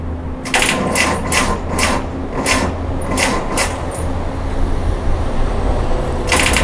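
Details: Car will not start: repeated sharp clicks, about two a second, over a low hum, and the engine never turns over; clicking on start attempt with no start, cause not confirmed.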